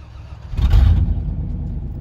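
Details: 1995 Chevrolet Silverado, sat a while, snow start near 30°F: quick crank catches at once, a short rev flare, then a steady low idle; a clean cold start with no stumbling.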